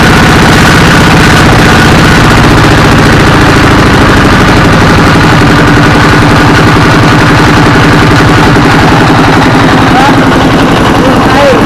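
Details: Single-cylinder 24 hp S1115 diesel chugs with a steady, even thump, running smoothly without hunting after the injector assembly and injection pump were replaced to cure black smoke and unstable, surging revs.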